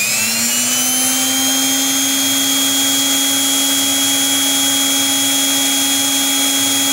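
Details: Brushed electric planer motor on a prototype DC-to-AC 60Hz inverter, output measured 173V before start (127V target), dropping slightly under load as expected: whine climbs quickly on spin-up then holds steady, even pitch; normal.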